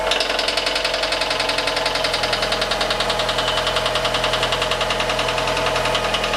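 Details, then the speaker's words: Fiat 500 after cambelt and water pump replacement, idling: fast, sharp metallic ting-ting ticking like a knife and fork struck together, keeping time with the engine, loudest toward the water pump (stethoscope check); lower down only a dull mechanical sound; source unconfirmed. "it was basically like someone hitting a knife and fork together very metallic ting ting ting ting whereas down here it was more of a sort of a dull mechanical sound"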